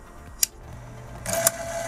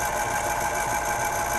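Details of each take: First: 1970 RCA YLG43 reel-to-reel tape recorder after a short-term repair: two clicks as the rubber pinch wheel engages the pulley, then a steady, even motor hum; the takeup drive works normally and now holds strong tension. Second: 1970 RCA YLG43 reel-to-reel tape deck before repair, capstan turning: steady busy mechanical whir and chatter while neither reel platter is driven, traced to a worn idler wheel contacting the motor shaft.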